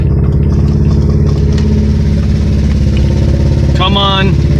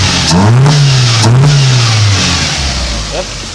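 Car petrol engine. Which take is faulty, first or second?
first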